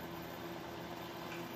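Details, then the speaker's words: Repaired electric space heater on its highest setting, 1500: soft, even whir holding one steady pitch with no ticks or scraping; heater fan running smoothly. "fans going good there we go heat's working great it's on the highest temperature 1500 nice and warm you can hear that fan let's listen to it a little close fans moving in there"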